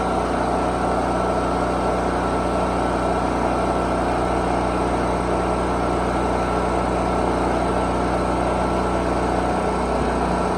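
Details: Generator rated 3500 running watts, first run after storage, started on choke: even, steady drone and low hum, no surging, misses or knocks; running smoothly, oil change still due.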